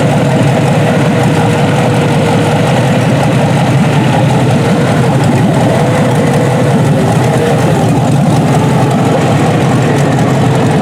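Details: Junkyard 6.0 L Chevrolet V8 from a 2002 Chevy truck pulled from a mud hole (no water in oil), first test run on a test harness, warming up. Steady, even low rumble, no knocks or ticks; normal healthy idle.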